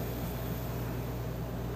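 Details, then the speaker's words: Dometic RV rooftop air conditioner after relay board swap (compressor had been stuck on), set to 70: smooth even hum with steady intake airflow rush, no rattles or cycling; normal running. "here we go she works it i can feel the air getting sucked in through these intake vents"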